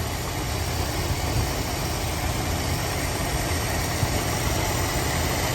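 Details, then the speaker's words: 1980 Mercury Zephyr after carburetor rebuild and timing adjustment, owner suspects a slight vacuum leak: steady, even low rumble with no knocks or misses; normal idle. "Other than that, she sounds pretty dialed in."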